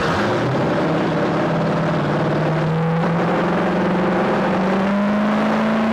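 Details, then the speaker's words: 2000 Volvo Penta 5.7 GS PEFS V8 inboard from a 2000 Glastron, 526.5 hours, fresh oil and new plugs, warming up: pulls up smoothly, tone rising steadily, no knocking, rattling or misfire; runs good. "Runs good. Yeah, good engine. Good Minnesota motor."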